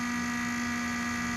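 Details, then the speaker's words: Small 30x30 mm cooling fan in an iCharger X8 battery charger: steady hum with a gritty buzz that changes when the fan is tapped; failing bearings grinding, fan to be replaced. "basically the bearings are going bad nice little grinding noise and if you tap on the fan there you go that's it right there you kind of get that"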